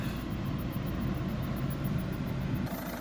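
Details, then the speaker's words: Citroen C4 1.6 HDi diesel after fuel rail pressure sensor replacement fixed crank-no-start (P0192) and codes cleared: steady, even idle rumble, no misfire or stumble; DPF warning still returns. "so I said the car is all running nicely now"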